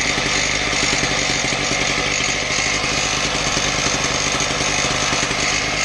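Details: Husqvarna K770 concrete power cutter after repair of bogging, with replacement part likely from a K760: steady high-pitched two-stroke buzz, even note, no surging or bogging; running cleanly.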